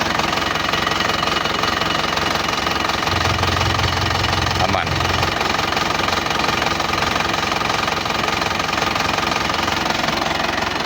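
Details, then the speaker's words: Isuzu Panther turbo diesel after rebuild for overheat-melted piston and stuck injector, still cold, no thermostat fitted: even, steady clatter about three beats a second with no misses or knocks; healthy smooth idle. "Dan alhamdulillah mesinnya aman, enggak ada kendala, enggak ada asap, bersih,"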